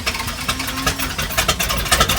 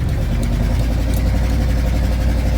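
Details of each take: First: 1977 Dodge Power Wagon plow truck, started (it ran earlier that day), with good oil pressure: rough-edged but steady idle just after firing up, no knocks or squeals; normal idle after cold start. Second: 1977 Dodge Power Wagon plow truck cruising at about 40 km/h: loud, deep rumbling V8 with a raspy blat on the exhaust note from a couple of exhaust leaks, no rattles; exhaust leak.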